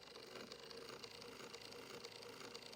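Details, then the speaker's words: 1905 Victor II spring-motor phonograph, rebuilt from a junker with the winding crankshaft reinstalled, now running: steady, even straight-cut gear whir with light hiss and faint regular pulses, sounds a lot better; normal running. "That sounds a lot better."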